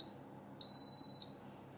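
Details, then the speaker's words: Instant Pot pressure cooker finishing a one-minute pressure cook: high-pitched half-second beeps repeating about every second, signalling the cycle has ended normally before it switches to keep-warm mode. "it should be done any second now I want you to hear what it sounds like when it's done and what happens after it's done"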